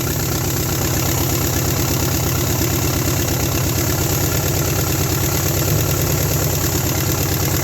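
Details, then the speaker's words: 1972 Nova 307ci with TH350 after 35 years sitting, points sanded, carburettor kit fitted, first start: lumpy idle with steady pulse and occasional missed beat, a cylinder skipping, many exhaust leaks; owner suspects a flat cam lobe, running on at least six cylinders. "oh it's skipping it got a little skip in there"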